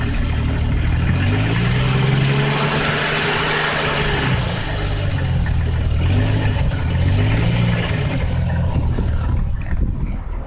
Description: possible rod knock 98 cherokee 4.0